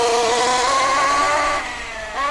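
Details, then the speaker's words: MP9 nitro RC buggy, first run on its existing rich running-in tune with the needles unchanged: high, wavering, soft, blubbery whine rising and falling with throttle. Rich break-in tune. "Right, that was our running in tune."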